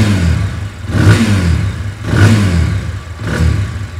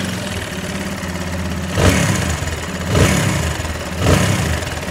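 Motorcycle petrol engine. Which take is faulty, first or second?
second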